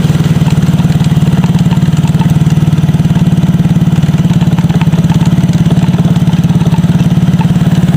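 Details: Yamaha Mio GT scooter after an engine block replacement, kick-started: steady, even single-cylinder putter at about three beats a second with no misses or knocks; healthy idle, though it smokes heavily, expected to clear in 3-7 days.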